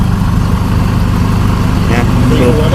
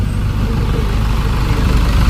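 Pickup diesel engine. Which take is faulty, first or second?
first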